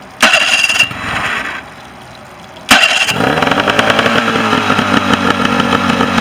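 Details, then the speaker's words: Mercury 40 outboard that would not idle and previously wasn't firing the bottom cylinder: short crank, then steady two-stroke idle on both cylinders with no crankcase leak; carb cleaner in front makes it too rich and cut off. "Run on both cylinders. And no crankcase leak."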